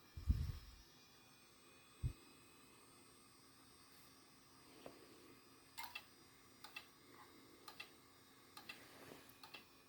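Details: Old 10 GB Maxtor IDE hard drive connected to a modern Ryzen AM4 PC: faint, uneven ticks and clicks about every second or two over a low hum as it spins up at power-on, drive clicking fault.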